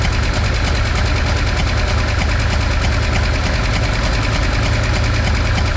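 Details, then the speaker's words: V8 with a backfiring problem, run after a compression test with all plugs, wires and distributor ignition reconnected: loud, lumpy idle with an uneven, stumbling beat and irregular pops; backfiring and rough running persist. "We know the engine, we ran the engine. The issue's still there, not surprising."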